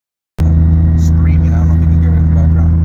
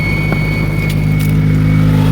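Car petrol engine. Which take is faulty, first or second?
first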